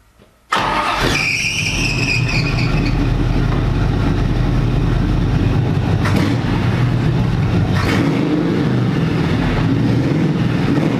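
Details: Engine with newly installed MSD ignition box, remounted off the firewall, new coil and repaired wiring: idle mostly steady but stumbles now and then, timing mark jumping about 10–12 degrees; intermittent misfire, cause not found.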